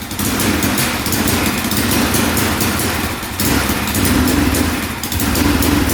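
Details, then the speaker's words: 2004 Yamaha Raptor 660 single-cylinder quad, non-running for about 5 years, first start, oil only partly filled: at full throttle it roars but stumbles and drops back, won't rev out; owner suspects parking brake safety switch. "That's full throttle. Yeah. That is not good. Not good at all."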